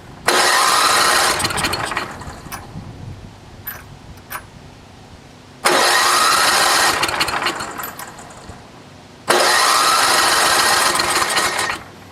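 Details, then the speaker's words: NOMA 8hp snowblower in cold weather, carb rebuilt with cheap parts, fuel on, no primer: three two-second cranking bursts that never fire. No fuel reaches the carburetor. "you got a good carb for it but there's still no gas getting to it right now we've got the gas on and there's definitely not nothing coming out of the needle"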